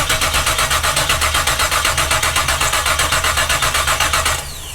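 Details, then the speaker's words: Split-bumper Camaro with freshly swapped 468 big-block Chevy, quit on first drive: starter spins steadily about four beats a second, never catches; no fuel reaching carb, aftermarket mechanical pump suspected not pumping, fuel filter seemed good. "nothing i ain't doing nothing ain't got no electric pump on there no he put a aftermarket aftermarket um mechanical pump but it ain't doing apparently"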